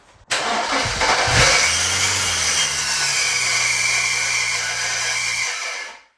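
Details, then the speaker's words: BMW E91 335i with a newly fitted replacement N54 engine and coils disconnected, cranking without firing to build oil and fuel pressure; a harsh five-second metallic grind as the starter pinion sticks in the flywheel; the starter was later spaced out with two washers. "That'll be the starter motor stuck in the flywheel."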